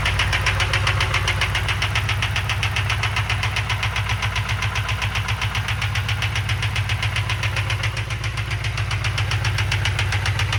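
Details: Abused 2007 Crown Victoria police-car fuel-injected drivetrain in a 1966 F100 body, first start-up: steady fast knock near four beats a second over idle; owner thinks valve train, not bottom end, oil looked clean; unconfirmed.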